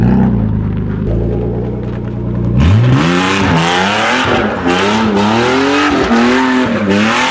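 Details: BMW E36 drift car: very loud, raw exhaust rising and falling with repeated revs, with a harsh rasp.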